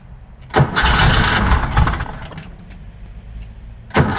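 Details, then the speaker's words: 1966 Porsche 912 flat-four, cold start at about 60°F after fuel line fix, carbs and distributor still needing parts: catches after short crank, runs lumpy with sharp clack over weak beat; clacking feared as thrown rod, found to be loose valve adjuster on cylinder two, plus misfire. "so that noise that was happening that that clacking it I was like oh no it's a rod that's been thrown"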